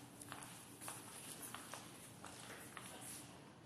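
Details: COGY pedal wheelchair clicking after pedaling on sand: sharp, light clicks about twice a second with each pedal stroke from sand grit in the pedal drive; fix is washing it thoroughly with water and oiling once dry.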